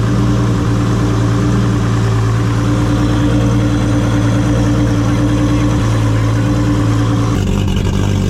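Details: Toyota 2JZ-GTE in a Commodore project car, warm after first start; one cylinder had no spark output, found and fixed with a wire. Steady, even deep drone with smooth firing and no knocks or misses, healthy.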